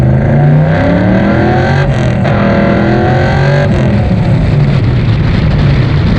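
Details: 1968 Chevy II Nova SS V8 with new Flowmonster exhaust and 4.56 rear gear, cruising at 55 mph and 2900 rpm, mic inside car and GoPro outside: steady deep drone at one even pitch, no knocks or misses; healthy engine.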